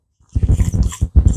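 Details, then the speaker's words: Crawler tractor clutch release (throw-out) bearing, removed and spun by hand: gritty, lumpy low rumble in two short bursts instead of a smooth silent spin; the bearing is worn and needs replacing. "so that sounds terrible well that's the throw up bearing that's supposed to spin nice and smooth and not make any noise"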